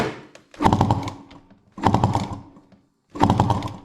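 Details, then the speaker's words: Honda CR500 two-stroke engine in a Schwinn, kicked over for a compression check: three kicks, each a rough puffing rasp out the intake; compression seems strong but escapes back through the intake; owner suspects leaking reeds and needs new ones. "I've never heard that noise out of the intake before when check in compression"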